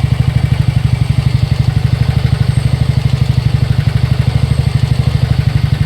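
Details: TVS NTorq 125 BS6 scooter at 7,399 km, before repair: steady idle with a hard, regular clatter about three beats a second, from a loose starter one-way clutch with play and loose tappets; fixed by repairing the one-way clutch and setting the tappets.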